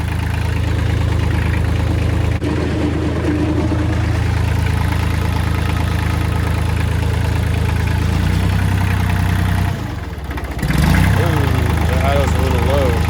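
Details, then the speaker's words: Kubota L3000DT tractor diesel, replacement used engine, fuel line bypassing weak lift pump straight from full tank: steady deep clatter at an even beat with a brief dip near end; healthy idle. "Yep. I got fuel up here now. Sounds healthy."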